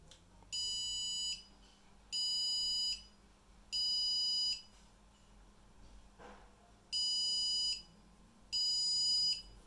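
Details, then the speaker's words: ASRock H110M motherboard booted with no RAM installed: two sets of three long, harsh beeps over a faint fan hum; memory error beep code, no display. It boots once RAM is fitted. "Jika tidak ada rem, maka akan bunyi seperti ini ya."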